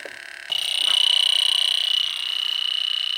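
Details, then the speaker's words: 2010 York AC system totally flat of refrigerant: an electronic sniffer at the indoor coil's distributor tubes gives a shrill high tone pulsing about three beeps a second. There were no hits outside, so the refrigerant leak is at the indoor coil. "definitely going off right there with the distributor tubes are you heard that right it's definitely going off right"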